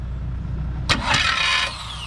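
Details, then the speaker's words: Figure-8 derby car cranking with a loose starter moving with the flex plate: brief harsh metallic grinding whine as it engages, then a falling whir; the starter is judged junk. "Alright, hang on. I honestly think the starter's junk."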